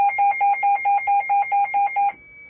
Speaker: so you can hear the panels beeping it's WX alert is what it's called but it's actually not an alarm yet